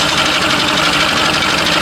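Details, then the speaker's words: Free Mercury Classic 50 outboard: keeps running at fast, buzzy idle after ignition switched off; owner guesses one of the wires grounds out, not confirmed; engine run-on after ignition off. "I'm not sure how it's running anymore. I have the ignition turned off. Yeah, I figured that would have killed it."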